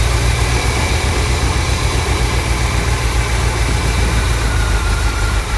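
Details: 1979 Corvette L82 V8, cold start: low, rough rumble with loose, uneven cranking pulses about four per second; rough running with irregular cranking cadence, cause not yet clear.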